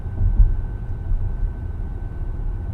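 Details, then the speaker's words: 2023 Acura MDX (4th gen), about 40,000 km, under warranty: faint whine while accelerating from around 55 km/h, louder and high-pitched near 70, over road rumble; changes with throttle and speed, 50–90 km/h; suspected transmission whine. "you can hear that faint whining sound. And if I accelerate up to around 70 mark, it gets really loud and high pitch."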